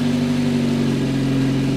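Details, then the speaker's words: V2 generator/cogeneration unit with a heat exchanger, test run after many changes, fuel setting raised to the fourth position to cure fuel starvation, no electrical load: steady, even hum at constant speed, no hunting, misfire or knock; running smoothly, sound much improved. "Let's try it again now you may not hear it but the sound is much better fourth position [Music] Well, it's quite good"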